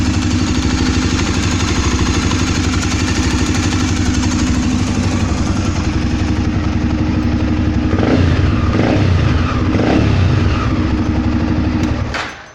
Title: Twister barulho no motor!!